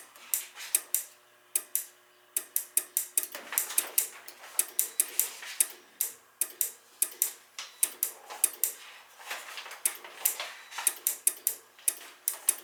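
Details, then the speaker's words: Dunkirk high-efficiency floor-standing gas boiler: sharp dry clicks about every half second, uneven, no burner roar, relay chattering even with thermostat disconnected; water found, probably a bad control board. Relay chattering. "this connector is still clicking back and forth nothing's still operating on and off on and off and i got the thermostat disconnected we got issues here oh water so that's probably a bad board"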